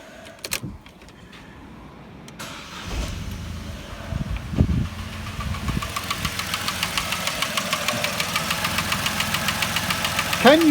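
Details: 2010 Vauxhall Corsa three-door, replacement 1.0 litre Ecoflex petrol engine revved: steady light tapping about three or four a second, from worn inlet manifold swirl flaps, mimicking engine knock.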